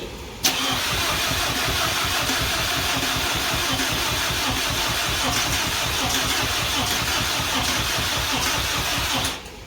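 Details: VW Beetle after replacing an oil pan holed by bottoming out, with metal slivers found in the pickup: steady, hissy cranking for about nine seconds after the oil refill with no clear catch, likely building oil pressure.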